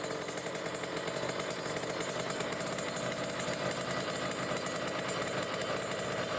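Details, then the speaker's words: Kawasaki Ninja RR two-stroke, Mikuni 28 carburetor, idling around 1500 rpm with the air screw fully closed: heavy, burbly, uneven idle, a rich mixture. "tapi ini udah pasti setingan Basah nih bisa didenger ya teman-teman Nah dia grebekan"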